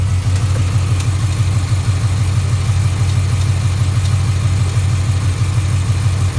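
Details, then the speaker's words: 2011 Ford Mustang GT 5.0 Coyote V8 idling, new Gen 2 short block with reused Gen 1 heads, about 7,000 miles on rebuild, E85; light regular tick about three a second, with golden metal flakes in the oil. Rod knock or tick, unconfirmed. "listen to it it's got a pretty good tick to it let me see if I can capture it for you"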